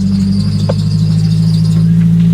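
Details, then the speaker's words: Intermittent high accessory-belt squeal over the engine note, coming and going with throttle, on a £300 scrap car during a long cross-country drive; it has done this on and off before. "Uh it's going to be catastrophic belt squeak. It does this every now and then."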